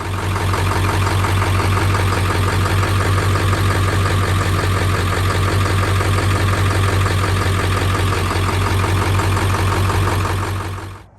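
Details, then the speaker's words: 7.3 Powerstroke diesel idling after changing to Shell Rotella T6 synthetic oil, overdue first full change: steady low idle, even clatter about three beats a second; the knock heard before is much less prominent and a few decibels quieter. "there is a few decibel difference in there, and you could actually go and hear, if you listen, like that knock. It was very prevalent on the first recording and not so much on the second."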